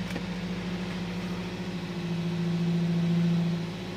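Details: Toyota Vios after replacing four spark plugs (Denso), ignition coil also suspected, fixing vibration and hesitant pull: steady, even low idle around 1,000 rpm with a smooth unchanging hum, no misses or shakes; engine now running fine.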